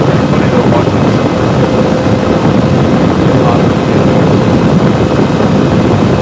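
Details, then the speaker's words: Server on its stock CPU air cooler with the side panel off, near the end of a load test with temps reaching 80-85: loud steady fan roar, fans maxed out because the cooler can't keep up with the CPU. "right now this is on the stock air cooler back so you can start to hear the fans pick on the system would probably be happier if we have the side panel on it"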